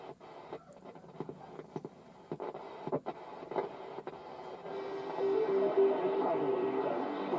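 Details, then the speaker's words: 1960 GEC BC505 (Transistor 7) portable radio after the coil on the ferrite rod was realigned: tuning clicks and crackle, then a steady, clear station on long wave, a band missing before repair; normal long-wave reception. "So if we have a listen now, hopefully on long wave, if I switch off the signal generator, turn up the volume a little bit and have a tune through, we now get long wave, which we didn't have at the beginning."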